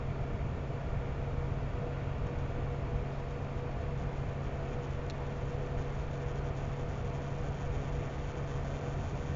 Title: Buzzing sound - PSU or GPU